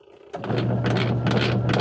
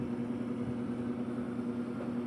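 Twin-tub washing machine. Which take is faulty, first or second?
first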